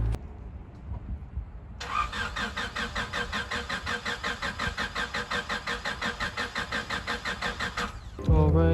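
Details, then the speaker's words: Honda Del Sol, won't start on a rainy morning; owner plans to check the fuel pump next: steady starter cranking at about three beats a second for some six seconds, never catching; cranks but no start, cause not confirmed. "let me rewind back the tape because this thing is not starting again believe it or not yeah this car isn't starting"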